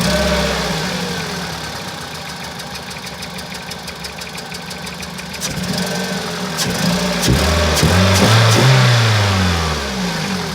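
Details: 2001 Toyota Celica VVT-i, 140,000 km: uneven stumbling exhaust beat that smooths slightly as revs climb; misfire on cylinders two and three with codes P0300 and occasional P0420, worst at low revs.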